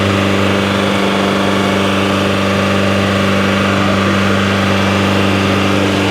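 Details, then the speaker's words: Turbocharged Nissan 350Z (VQ engine) with the exhaust glowing hot and smoking: steady rough idle with a raspy, hissy edge over the low note; big exhaust leak suspected, audible from the middle of the car. "shees that [ __ ] got a big ass exhaust leak though I ain't going to lie what the [ __ ] you can hear from the mid"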